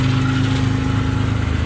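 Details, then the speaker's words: 1992 Dodge Stealth RT (3000GT) after reinstalling repaired ECU, idling: steady hum with faint constant whir from front of engine; alternator fine, idler pulley bearings noisy, to be replaced. "uh alternator sounded fine that it recoy sounded pretty noisy that idle prob sounded very noisy uh so so I'm going to replace those"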